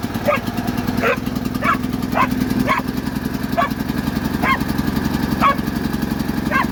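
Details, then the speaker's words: Predator 8750 W Harbor Freight generator after carburetor replacement to fix a no-start (broken choke plastic): steady, even hum with no surging or misfire, dog barking over it; runs smoothly and sounds quieter. "Yeah, sounds good. Sounds quieter. Got electric start too. God, it sounds so much quieter."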